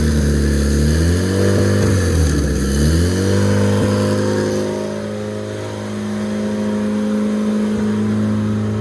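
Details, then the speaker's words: Project RED engine build, first run on standalone ECU: revs up, then settles into a steady fast idle that never drops; high idle, owner suspects a leak or idle air issue, rpm dropped when something was cut. "that was a lot that was a real high idle so we might have to leak somewhere in here"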